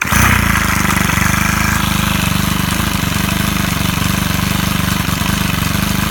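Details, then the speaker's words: Stihl KM130R four-stroke trimmer running warm after broken valve repair and high/low carb adjustment, slight valve seat damage, no fuel in the primer bulb: steady fast idle, even firing, no misses or knocks. "now that it's running and runs pretty well I'm not going to try to mess with it anymore I don't think because it's running good it's obviously warm"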